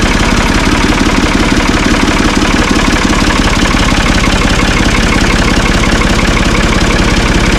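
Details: Ford 445 diesel tractor, thought to be a 1970s model, bought at online auction: steady, even diesel clatter at idle, firing pulses regular with no knocks or misses; it starts and runs well.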